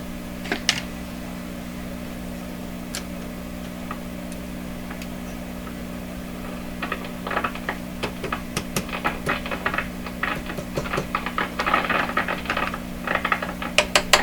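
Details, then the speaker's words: 1929 Victor RE-45 radio, silent after some capacitors were replaced, with faint hum and random sharp pops and crackles growing denser; intermittent crackling, suspected to come from an RF tube before the detector, not confirmed. "She's a crackling."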